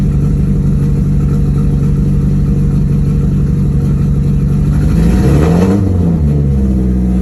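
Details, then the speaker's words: Nissan S13 after new valve cover and Tomei rocker arm stoppers: even idle, short rev dips briefly in slight stumble, no ticks or knocks; owner suspects a clogged injector from sitting, cause unclear, plans air-fuel ratio gauge. "Sounds good, no abnormal noises or anything. There is just that like little hesitation that I have to try to figure out."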